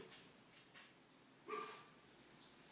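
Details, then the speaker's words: Chest freezer in a garage: quiet room with faint scratchy bursts and one loud hoarse bark-like yelp as the compressor cycles, repeating often, mistaken for a trapped dog. "we thought we had a dog stuck off in our garage and because I couldn't believe the noise I wanted to videotape where it was coming from"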